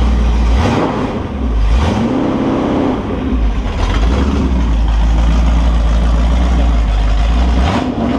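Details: Holden 355 stroker V8 on a bench test stand, new engine for an HQ Holden (flat-top pistons, Sig Erson TQ30 cam, HEI, Edelbrock carb, Aeroflow single-plane, 9.5:1), bedding in cam and lifters: revs rise and settle back to a steady fast idle with no ticking or knocking. Oil pressure is 30 psi at idle, no leaks; healthy.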